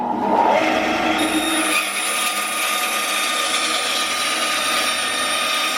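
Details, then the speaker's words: 10-inch Craftsman band saw after drive belt replacement, covers open, cutting scrap wood: steady even hum with smooth high cutting hiss, no slapping or knocking; sounds as before the belt broke, repair successful. "okay well that sounds just like it used to before the belt broke so i think we're going to call that a success"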